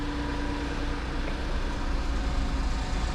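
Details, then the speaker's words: 1999 Mitsubishi Minicab kei truck just after oil change (3 quarts 5W-30, new K&N H1008 filter): small petrol engine at steady even idle, no knocks or misses; sounds healthy, owner feels better with new oil, maybe placebo. "this is good. The engine definitely sounds happier with new oil. Now, maybe it's the placebo effect. I don't know. I do really think it sounds better though."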